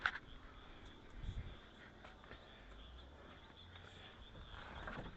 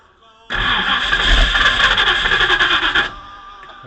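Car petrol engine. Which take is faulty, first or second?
second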